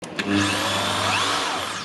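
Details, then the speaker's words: Bosch hammer drill, previously not working at all, after repair: spins up straight away and holds a steady even high whir with no grinding or stutter; motor running normally. "yeah it works"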